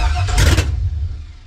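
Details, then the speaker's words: LS-swapped 1965 Chevrolet C10, fuel pump not wired and VATS not yet deleted from PCM, starting fluid sprayed into intake: short crank, engine catches and revs about half a second before dying; fires on starting fluid only. "I didn't wire the fuel pump yet I didn't even take Vats off the computer yet yeah spray that down the intake"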